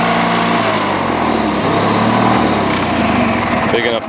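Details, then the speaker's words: Old Bolens small tractor just acquired, runs, drives and deck spins: small engine runs with a steady, busy buzz and even firing holding speed; healthy, normal running. "Got this old Boland's, and it runs good and it drives good, and even the deck spins."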